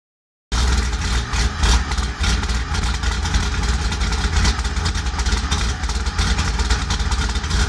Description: My cammed 2001 Pontiac Grand Prix GT rough idle do to bad o2 sensor.